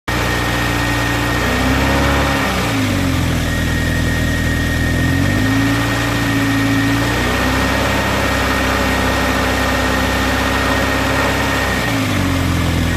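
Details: Toyota MR2 3S-GE engine at cold idle: dull knock under the engine note as revs settle, only when cold; owner suspects piston slap, unconfirmed.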